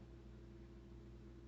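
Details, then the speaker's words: Fairly new fridge with an intermittent once-a-day loud buzz: here the compressor runs with a quiet steady low hum and a faint tone, no rattle or buzz; normal compressor hum. "so now it's it's more like a hum it's not as buzzy yeah that that sounds normal but it's still the compressor is still running"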